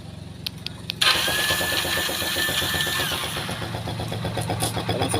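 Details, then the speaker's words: Rusi Macho 150 motorcycle, remote start via newly fitted two-way alarm (two presses, no key): short starter whir, engine catches cleanly and settles into steady even idle; normal start and idle. "Paandarin natin itong may kidlat na to. Dalawang pindot"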